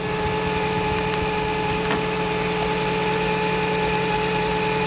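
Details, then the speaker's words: Failing alternator whines steadily and loudly, high-pitched over the idling petrol engine during the charging test; battery fine, charging voltage low around 12 volts, confirming the alternator. "can you hear that you can hear the alternator whining I'm sure that's the alternator I'll put a extension pole on that and put it up to my ear but it's winding like crazy"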